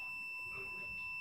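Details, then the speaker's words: 1996 Jeep Grand Cherokee Laredo with intermittent crank-no-start: multimeter gives a steady clean continuity beep on the camshaft position sensor signal wire to ECM terminal 18, showing good signal wiring. "ohmmeter beeping, so that shows we have good signal wires."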